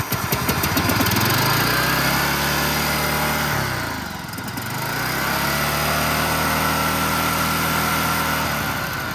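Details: Toro Z5000 Timecutter zero-turn with Kohler Courage 21 engine, throttle stuck about half open: engine holds a high, steady speed, dips sharply once and climbs straight back; running wild, too fast, not returning to idle.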